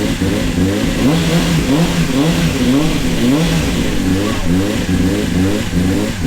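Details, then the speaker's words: Honda CBR600 with 7,000 miles, not run for 9 years, first start after repair, choked: smooth four-cylinder revving in repeated crisp blips, pitch rising and falling cleanly, no misfire; normal running and revving. "we've picked up the bike and she runs and she sounds Beau beautiful"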